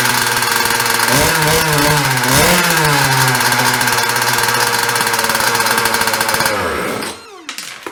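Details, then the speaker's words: 2017 Jetsurf GP100 two-stroke with Tryton carburetor, after diaphragm and gasket rebuild (previously wouldn't start): catches, revs crisply, holds a steady buzzing run with blips, then is shut off; run briefly without cooling water, getting hot. "So I can't run it very long because there is no cooling water, so it's already getting hot, but you guys can see it works."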